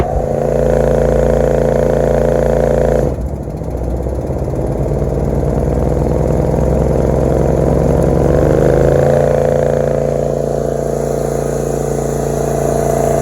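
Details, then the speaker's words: Grasshopper zero-turn mower after a faulty seat switch was replaced: twin-cylinder engine drones unevenly, sags hard under load and slowly recovers with no power, running on only one cylinder. "Of course, it ain't got no power. It's only running on one cylinder."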